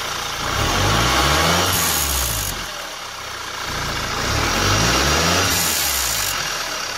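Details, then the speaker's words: MK6 VW GTI 2.0T TSI before the anti-rattle clip was fitted. Revving twice brings a tinny metallic wastegate actuator rod rattle that began while coasting and got worse, louder at park. "i drove one day and i was just coasting down and i started here and i excessive rattle and then it got worse especially when i parked at home"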